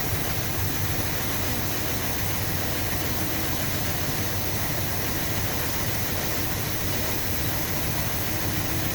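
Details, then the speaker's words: 1966 Chrysler New Yorker V8 idling warm after a carb clean, radiator warm, clutch fan removed: low, smooth, even rumble with no ticking or stumbling, as the hydraulic lifters have quietened; clean normal idle. "She is lovely and quiet. What an absolute sweetheart."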